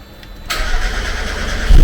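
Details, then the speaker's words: Supercharged Mazda MX5 after ECU upgrade and rewiring, first start: brief crank, then engine catches straight away and settles into a low, steady idle; starts cleanly, though cranking fuel may still need adjusting (more or less fuel). "there we go perfect just needs a little bit more less fuel or more fuel"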